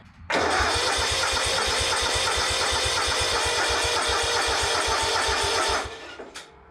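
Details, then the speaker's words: Exmark Yazoo Kees ZT Max 42-inch zero-turn with Kawasaki engine, new starter, jumper battery attached, cranking to purge air from the fuel system. Even cranking about three beats a second, no grind; fuel pump suspected tired. "but um the new starter sounds pretty good"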